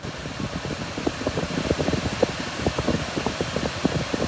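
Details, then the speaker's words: Volvo C40 Recharge electric SUV, recorded in the cabin: the climate blower is turned up to setting five and gives a loud, steady rush of air with no rattle or whine. Blower fan on a high setting, working normally. "now it's almost like a tornado in here"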